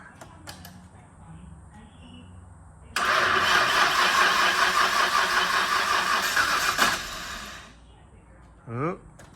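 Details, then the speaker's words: Nissan R33 Skyline GTST RB25DET, rebuilt and first start after swapping fuel filter/regulator hoses, cranks and catches roughly on a couple of cylinders then dies; fuel starvation, owner plans to check fuel pump. "well it's trying to start which is good news but it won't stay running it's like hitting a couple cylinders and then it's just dying off"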